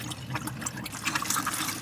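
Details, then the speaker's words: Campervan water system after de-winterisation: pump switched on, tap opened, irregular gurgling and sputtering bursts as air purges from the lines while the boiler fills; normal, clears once water runs through. "if I put this pot on, it will splutter for a while because it's now filling up the trimmer boiler. I can hear it gurgling, but in a moment or two that will come"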